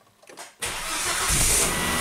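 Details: Volvo wagon after crank/no-start repairs, codes erased, 43 PSI fuel pressure before start: a quick crank, then it catches at once and settles into a steady, even idle holding 55 PSI at 50% pump duty cycle. Normal start.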